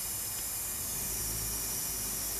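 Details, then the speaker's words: Leak-down test with the cylinder at top dead center and both intake and exhaust valves closed. A steady, even hiss with no pulsing as compressed air slips past the piston rings into the crankcase, not out of the intake. "is north well it's normal because it might be going past and rings a little bit did have dopey oil so we know it's not coming out of the intake"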